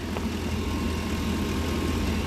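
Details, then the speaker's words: 2002 Ford E-350/E-250 van, likely 5.4 modular V8, codes P1132/P1152: after plugging the induced PCV vacuum leak, the buzz stops and idle drops back to a low, steady, even hum; fuel trims falling toward normal. "reach over and plug it up that shuts up the noise brings the idle down"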